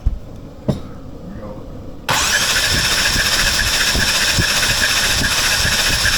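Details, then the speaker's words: BMW M4 with S55 engine after a dyno failure, compression test with injectors disconnected: starter cranking about four beats a second with uneven, lopsided compression; cylinder 4 low compression from a holed piston, cylinders 1 and 2 about 185 psi. "Okay. Your cylinder 4 has a big f***ing hole."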